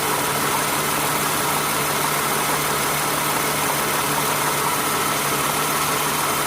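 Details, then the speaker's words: 2008 Toyota Sienna after replacing accessory belt, tensioner and idler pulleys: even, smooth idle with steady low hum, no clicking or squeal from belt and pulleys; any ticking would be from the engine; normal idle. "New pulley. No clicking metal sound. Let's go to the top and compare. If you hear the ticking sound, it's from the engine."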